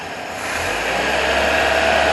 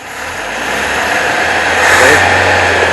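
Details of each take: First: 1977 Toyota Celica after swapping carburetor, timing and vacuum adjustments, idle about 650 rpm, vacuum about 17 inches: engine picks up cleanly from idle, even note with no chugging or missing when revved; smooth running engine. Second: 1977 Toyota Celica with swapped cleaned carburetor, timing adjusted, about 1,000 rpm idle; after revving the engine wanders all over and chugs from the exhaust, lumpy rough idle that won't settle. Cause unclear.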